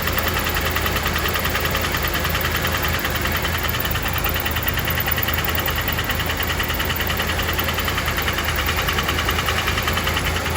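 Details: Mercedes SL 450 petrol engine at idle: fast, sharp knocking over the low rumble.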